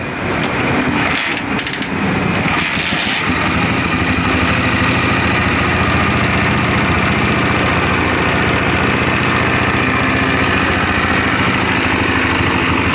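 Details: Honda CG 125 motorcycle after cam follower replacement to cure engine noise, head reassembled and started before fitting the tappet cover: catches in seconds, even single-cylinder idle with only a light valve tick; healthy.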